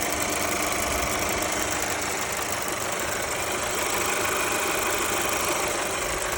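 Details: Mercedes A-Class W177 with M282 engine: even idle with a quick, fairly regular light ticking about three per second; cause unknown.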